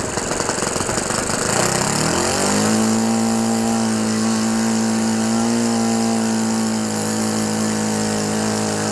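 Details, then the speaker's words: Repaired OS FS 91 Surpass 15 cc four-stroke methanol model engine with Graupner propeller, first run for break-in: picks up, then holds a steady high buzz with slight burble; deliberately set very rich to bed in the ring. "Et le voilà. Il a pris vie. Bon, il est très riche."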